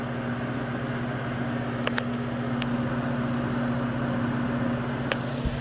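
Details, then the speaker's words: Comfort Zone 7500 W garage heater, running: steady fan hum with a few sharp, irregular ticks seconds apart. The cause of the ticking is unknown to the owner. "anyone one of you know why it's doing that if it's something that it's supposed to be done let me know"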